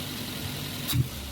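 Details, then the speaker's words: Daihatsu Terios/Toyota Rush petrol engine after replacing the ignition coil, no load: throttle blip stumbles and hesitates before picking up; hesitation persists, so the coil is not the cause; no check-engine light, but codes found on scan. "ya kita Nyalakan mesinnya ini ikan nyala tapi kelihatan mesin masih terasa ribet ya [Musik] secara spontan juga masih ada terasa nyetnya di awal terasa nyendat"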